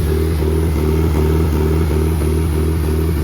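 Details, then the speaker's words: Just-bought Nissan SR20DET engine run on a pallet, out of the car, started by jumping the starter wire. Even, steady four-cylinder beat rises smoothly with throttle blips, no knocks; good oil pressure, no blow-by, a solid runner. "if there's any blow-by. No. Look at that. sweet. That thing's a good solid runner."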